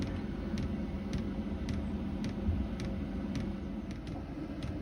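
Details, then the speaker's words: 2 kW diesel heater with a 5-litre tank fitted in a VW T4 camper: steady low combustion rumble with an evenly spaced pump tick, pump now quieter, exhaust running clear and warm air; running normally. "the exhaust running clear now the pump's A lot quieter and we got lovely warm air"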